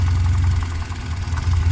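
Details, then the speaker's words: 2013 Cadillac ATS4, 2.0L turbo, hard to start, running rough and misfiring: rough, uneven idle during a power balance test. The faint tapping knock persisted with cylinders 1–3 disabled but faded when cylinder four was cut, tracing the knock to that cylinder. "wasn't that our knocking starts going away re-enable [Applause] hear the knocking stable"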